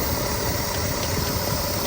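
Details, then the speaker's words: Freshly rebuilt 350 V8 in an El Camino, idling after rebuild with hand-ground valves and honed block; an earlier rattle was traced to the choke pull-off rod: steady, smooth idle, no knock or rattle; normal idle. "So there it is, running pretty smooth."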